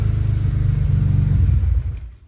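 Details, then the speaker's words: BMW E30 M3 with S54 engine swap: fires after fuel pump primes, runs with steady low throb then sags and dies within two seconds; fuel starvation because the fuel pump relay is not grounded. "I turn the key on I hear it Prime and it will fire [Music] up but just wait for it it'll go full in and it'll die out you can see it right now losing"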